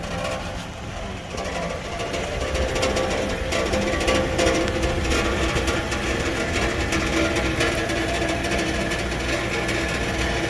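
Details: 2013 Toyota Sienna idling: fast, buzzing metallic rattle underneath from the heat shield over the muffler, three of four mounting points broken so one end rests on the muffler and vibrates with the engine running.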